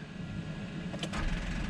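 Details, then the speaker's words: Overlanding vehicle with dead battery in the desert, before using a Hulkman Alpha85S jump starter: a few sharp clicks on key turn with no cranking; starter clicking from dead battery. "Oh, Nope. those clicks. Let me get another shot of the clicks. Everyone hates that sound."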